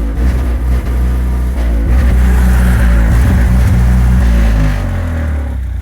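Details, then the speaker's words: GE natural-gas standby generator, installed 2011, during its exercise run on a new gas service line and meter. It starts fine, then surges, the drone swelling and sagging, rough as if missing a cylinder. Owner doubts a gas supply issue. "well as you can tell it's not running right despite the fact that the guys that did the service said that they couldn't manage to set the exercise today uh it did its exercise it started off just fine and then it started surging and it sounds rough it sounds like it's missing a cylinder or something"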